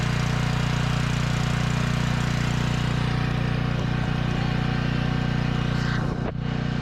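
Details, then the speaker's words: Small generator after engine upgrade, now giving a full 30 amps at 220 volts versus 15 amps before and no longer needing choke: steady, even low drone at constant speed, no misses, surging or knocks; normal running. "It works much better than when I last touched it. I'm getting a full 30 amps, 220 volts compared to the 15 amps that I was getting last time, and I no longer have to run it on choke."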